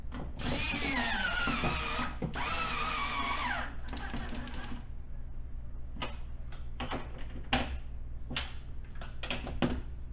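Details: 2015 Ford Taurus Limited door with the window regulator and motor assembly just replaced: two runs of steady motor whine dropping in pitch, then scattered clicks; the window motor drives smoothly without binding.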